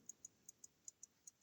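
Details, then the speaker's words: Elgin lever-set pocket watch, repaired after a broken balance staff, ticking crisply and evenly in tick-tock pairs about five beats a second; healthy running. "especially at night time you hear that nice ticking sound I mean it it'll put you to sleep"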